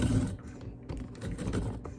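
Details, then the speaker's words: Cuisinart Food Spiralizer cutting a potato under downward force: rough, uneven grinding bursts as the motor strains. The potato is lodged and not moving, so the blade chews it instead of cutting. "using some force a downward Force motion you can hear it grinding that's"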